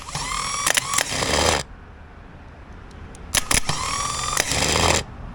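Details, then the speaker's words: Old starter from a 1964 IH Travelall C1100, bench-tested after removal: two short spins with a harsh whirring whine and gritty rattle; the bad noise it made on every start-up, replaced with a new starter. "So, that's pretty sick. That doesn't sound right. Um, there's something going on in there, which was that really bad noise this thing would have whenever I would start up."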